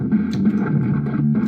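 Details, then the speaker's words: Arcade1Up Big Blue cabinet after the scanline firmware update, playing Street Fighter at full volume. Game music and sound effects come out muffled, dull and distorted with no treble, as if the speakers were covered. "Yeah, the sound on the update sounds really muffled. Almost sounds like there's something that's covering the speakers. It sounds pretty bad. It's really distorted."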